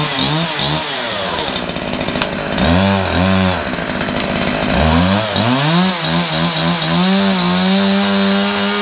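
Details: Homelite two-stroke chainsaw, after its chain brake was serviced: buzz climbs and falls cleanly with each throttle blip, then holds a steady high whine, running properly.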